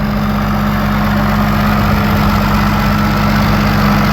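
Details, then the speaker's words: Combine diesel engine at a steady, even idle with a constant low hum and no knocks or misses, running like a champ after exhaust work and a new light switch; normal idle. "there she is running like a champ looking like a"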